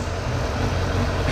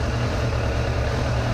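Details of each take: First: 2002 Suzuki GSF600 Bandit inline-four, idling on an auxiliary fuel tank after carburetor synchronization with four vacuum gauges; smooth, even idle with no misses, hunting or lope. Carbs now in sync. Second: 2002 Suzuki GSF600 Bandit inline-four, warm idle on an auxiliary fuel tank with four vacuum gauges; carburetors deliberately thrown far out of sync, giving an uneven, lumpy low beat with cylinders pulling unequally.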